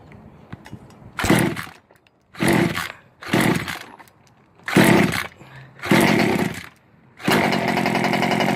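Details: Ikilly 2 small two-stroke after flooding from too much fuel, cleared by removing carb and clearing engine: several short pull-start bursts, then it catches and holds a steady, high-pitched buzzy run; cleared and running fine.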